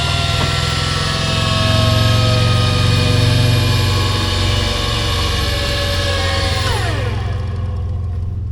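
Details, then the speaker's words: Free flood-damaged scissor lift (EWP) under remote control: a loud, harsh, steady electric hydraulic pump drone with a rough churning edge that winds down at the end. Owner suspects the pump is poor and not pumping much fluid, and that the steering is bypassing; unconfirmed. "I just have a feeling that pump isn't very good. It's very noisy and it's probably not pumping a whole lot of hydraulic fluid because, yeah, it can't even get it."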